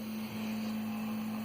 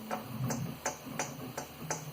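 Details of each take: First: Prusa 3D printer in normal mode after refitting the stock extruder fan, the real cause of the bearing-like rattle: only a soft steady low fan hum while printing, no rattle or buzz; sounds healthy. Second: 3D printer extruder fan, about one month old, tapped: initial tap followed by brief metallic ring from a faulty bearing, unlike stock Noctua fans; this was the rattle thought to come from the X-axis rods.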